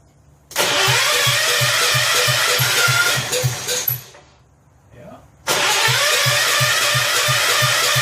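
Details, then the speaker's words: Rebuilt 10 hp Kohler K241 in a John Deere 210 garden tractor, first start with about three-quarters choke and gas poured down the carburetor: fires with quick even pops then stalls; owner later checks and sands the points. "okay it's like a little more yes down the carburetor I put about three quarters choke she fired"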